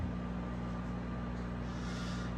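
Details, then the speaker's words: Unbranded microwave, model UMV1170LW00, heating and venting out the top: a steady low hum with a faint constant whine and even fan rush, with no buzzing or arcing; it runs normally. "sounds like a microwave and this one here doesn't vent in front it vents i think it vents up in the air actually no it's coming out the top"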